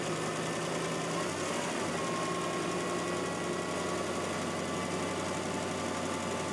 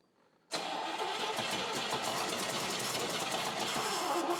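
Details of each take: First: First start of a freshly reinstalled engine and transmission in a drag car: a smooth, even run with a steady tone. The former lifter tick is completely gone and the engine is silent, like a brand-new engine. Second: Car engine cranked for the first time after engine and transmission install: starter spins at a steady quick chug, about 200 beats a minute, but never fires; no fuel reaching the carburetor yet, and the tank has only a tiny bit of gas.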